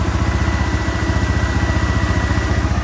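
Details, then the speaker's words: 2003 Yamaha Kodiak 400 4x4 ATV after repair: steady, even idle thump about four beats a second with a faint steady whir as the cooling fan kicks on; normal idle, working well. "You can hear the fan kicking on."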